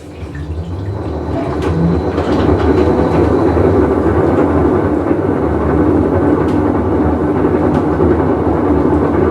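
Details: Whirlpool Cabrio washer, full wash cycle: heavy uneven rumble building and holding as the drum turns, from a bad tub bearing.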